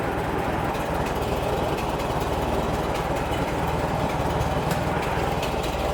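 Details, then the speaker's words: 1960 Massey Ferguson 35 four-cylinder gasoline tractor idling right after an oil change and maintenance, running on carburetor bowl fuel with fuel line disconnected; steady even putter, no knocks, oil pressure came right up; normal healthy idle. "Yeah, everything sounds good so far. Oil pressure went right up."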